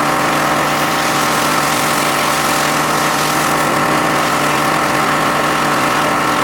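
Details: John Deere X540 mower that came in crank-no-start with no spark, idle about a year; both coils found dead, failed module swapped. Steady, even two-cylinder hum at constant speed, no stumbles or surging: normal running after repair.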